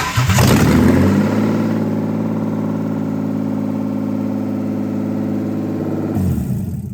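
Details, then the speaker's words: BMW E36 328ti first start after electric fan install, coolant being bled in neutral: engine catches with a flare then holds a fast steady idle, never dropping; idling too high. "don't like how high that's idling. How high was that? That sounded like $3,000."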